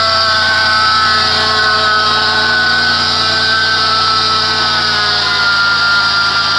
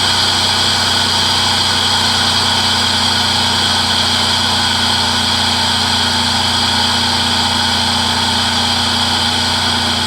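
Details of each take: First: 2006 Chrysler Pacifica, 3.5 engine, started and idling, heard from the side with the serpentine belt: loud, constant high-pitched squealing grind, like a bad bearing on a belt-driven part rather than belt squeal. Worn idler pulley bearing. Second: 2006 Chrysler Pacifica 3.5 after serpentine belt pulley repair: steady, normal idle with loud airy intake hiss from the open throttle body (air box off); the loud squeal, blamed by the previous owner on the power steering pump, is gone.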